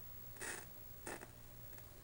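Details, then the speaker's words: 1984 Panasonic CTF-1359R 13-inch colour TV, trash-picked, with an open B+ fuse: quiet set with short crackling, sizzling high-voltage arcing bursts about every half second, still being chased after CRT socket and ground adjustments; the flyback was ultimately found faulty. "can hear it arcing it's like it's it's noisy whatever it is I'm still chasing it"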